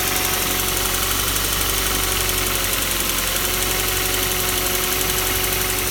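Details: Kia Soul 2 with the 1.6 engine at cold idle: a steady, fast, sharp metallic ticking knock, roughly four per second, rides over the idle. Cold-start engine knock.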